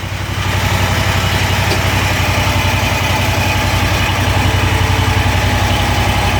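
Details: Kawasaki FX801V on a Kubota zero-turn mower, 400 hours, valves just adjusted, cold start: steady idle with quick, fairly even light ticking, about 220 a minute; valvetrain clatter more noticeable at idle or low speed.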